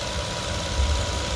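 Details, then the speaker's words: Petrol car at warm idle after the fix, fuel pressure now about 50–51 psi, matching the manufacturer's spec, after earlier low pressure. Steady, even low idle with no stumble or shake; it no longer trembles as before. "entonces vamos a aprender el auto y ya no se escucha como antes vamos a ver hay un frente nuevo se escucha muy que dicho ahora ya no está temblando como antes"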